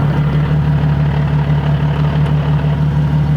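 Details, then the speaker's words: Nissan 370Z Nismo at idle with upgraded Clutch Masters FX400 clutch and lightweight flywheel: a steady low idle carries loose, rattling chatter typical of the lightweight flywheel, shown just before pressing the stiff clutch pedal. "you hear that chattering that's what happens when you get a lightweight flywheel"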